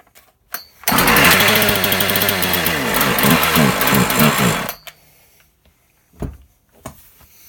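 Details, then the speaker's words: Husqvarna 36 chainsaw after repair of an open hole at the carburettor's impulse passage, unprimed: catches straight away, buzzes at a rough high idle about four seconds, then cuts out; carb settings not yet set. "Okay, I'd say that's a good start."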